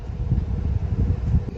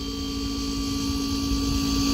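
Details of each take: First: Refrigerator that was lukewarm inside, with behind-the-fridge access at the back bottom by the compressor: an even, low whooshing hum from the condenser fan running smoothly and normally, with the old start relay and capacitor still fitted while the owner recreates the fault. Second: Refrigerator (not cooling, lukewarm inside) compressor: steady hum about three seconds, then sharp click and motor cuts out; failed compressor start relay not letting it stay on, short-cycling, fixed by replacing the start relay.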